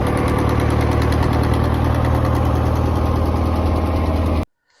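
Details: John Deere 2010 tractor before replacing exhaust manifold gaskets: steady idle with a sharp, uneven puffing chuff about four times a second riding over the rumble; exhaust manifold leak.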